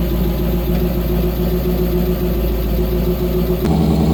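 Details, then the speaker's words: 1955 GMC 100 pickup, first start on a freshly rebuilt 327 V8, building oil pressure before break-in: steady, even low rumble with no knocks or ticks, slight settling near the end; normal running. "she's building oil pressure yes yes oh my god it sounds good"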